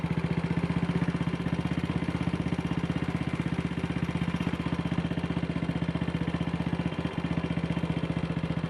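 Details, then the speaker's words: Single-cylinder motorcycle with Wassell Evolution (Amal Concentric type) carburettor, after refitting the dislodged needle clip: it idles evenly with steady pulses but still a little fast; rider may need to adjust the throttle stop screw. "kickover still a bit fast, but I might need to adjust the throttle stop screw."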